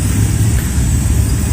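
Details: Maktec MT60 electric drill run with its gear and head removed, while diagnosing a rough cracking noise from the front gear: smooth, steady low whirr with no clatter or knocking; the bare motor sounds healthy.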